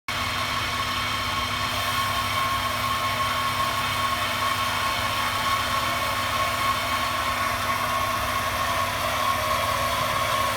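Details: 1998 Honda Accord EX with 195,000 miles: a thin, constant whine rides high above the idle hum, much louder with the hood open. The whine started 12/3/17 and is heard when accelerating.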